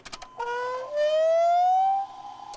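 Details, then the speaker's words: 4.3 Chevy Vortec V6 truck, key on with a line disconnected so fuel goes to the return: a short whine climbs in pitch for about a second and stops as the pump pressurizes the system; no fuel leaks seen. "there it pressur it pressurizes the whole system is active"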